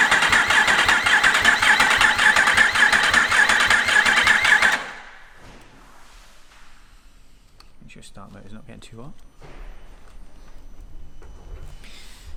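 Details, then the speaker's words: Yamaha R1 race-bike rebuild, freshly installed engine with no fuel tank or upper injectors, in neutral: about five seconds of steady rhythmic cranking with no firing, then quiet; a dry crank to build oil pressure. "uh and then while I've got no fuel tank on it crank it over to try and get oil pressure up and make sure your light goes out of the dash"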